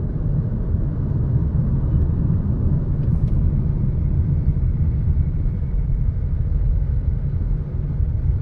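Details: MG HS running: heavy, steady low rumble under the engine with no ticking on top, pointing to a worn flywheel or transmission/gearbox bearing.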